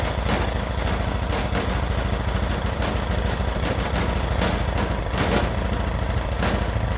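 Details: Freshly rebuilt Honda GX390 13 hp single-cylinder, started by choking manually: steady, even, unhurried low thump, no knocks or misses; runs healthy, but the vacuum auto choke module is suspected faulty and is to be replaced.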